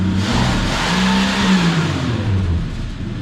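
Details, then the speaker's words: 1976 AMC Gremlin engine revived after 32 years sitting, snapped toward redline right after starting, with the carb judged well dialed in: crisp, clean, even roar with no knocks or misses; healthy free rev. "That's a good way to make a motor feel happy after sleeping for that long, is just redline it."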